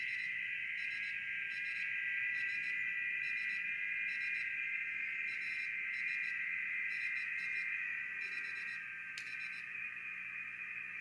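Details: Rebuilt BITX40 transceiver tuned to 7.074 MHz: over light hiss, several steady warbling tones sit near two kilohertz. Normal FT8 signal reception.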